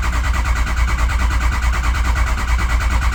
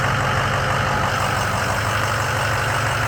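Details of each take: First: Ford 6.0 Powerstroke diesel, crank-no-start; cranked with FORScan (ICP voltage 0.21, IPR 14%, sync good, ICP climbing). Heavy, steady cranking thumps, a bit over two a second, with no firing. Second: Ford 6.0 Powerstroke diesel truck after a fuel leak was fixed; low-pressure oil was verified, and several cranks bled air from the fuel system. Steady, even diesel clatter with no misses; ICP about 900 psi: a normal idle.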